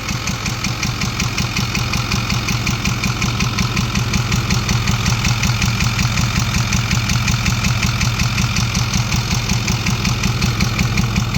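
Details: 2010 Ford F350 6.4 Power Stroke diesel with check engine light, idling: sharp evenly spaced tick and pop over the clatter, about 160 a minute; mechanic suspects intake popping and rocker not working properly, cause unconfirmed.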